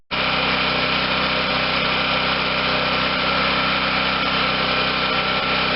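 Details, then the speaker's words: 2014 Wen 4050 garage-sale generator with new adjustable carburetor, fed from spare tank, choke closed, first pull start; steady even high-pitched drone at no load, no hunting or surging, idling smoothly and healthy. "first pull unbelievable sounds good too"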